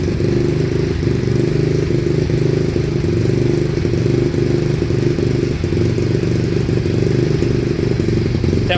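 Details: Rebuilt Yamaha Mio engine after cam (noken as) dialing: smooth steady putter at idle with no knocking or rattle; engine sounds healthy.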